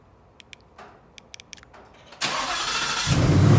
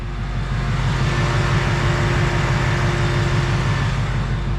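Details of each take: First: New 2020 Ford Mustang GT V8, warm start: a few faint clicks, then a loud rushing whoosh as it cranks and catches into a deep rumble; owner finds the warm-start sound weird and asks if it is normal; cause unknown. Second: 2020 Ford Mustang GT V8 with about 2,200 miles. On a normal warm start the starter engages normally and it settles into a smooth, deep burble at steady idle, with no engine tick.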